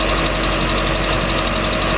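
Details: 3.0L Mercruiser boat engine, second owner, ticking started at beginning of season: quick light ticking over steady idle hum, keeping pace with engine speed; cause unknown.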